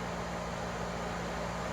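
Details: Dodge Intrepid radiator fan wired with toggle switch and 40 A relay: constant whooshing air rush with a low steady hum, no ticking or scraping; fan spinning normally. Normal running.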